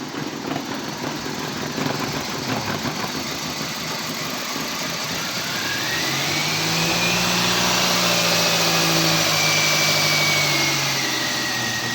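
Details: 2007 Toyota Corolla after the crank/no-start fault was remedied: the engine catches and settles into a steady idle with a brief smooth rev midway, with no knocks or misses. It is running normally.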